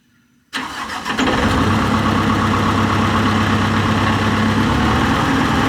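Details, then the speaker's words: John Deere 245G excavator, first start after the DPF was reinstalled and a tune reportedly turned off the EGR and emissions: silence, then quick catch into a steady, even diesel idle with no knocks. Sounds healthy. "It's all turned off from my understanding, so let's fire it up. This will be the first start."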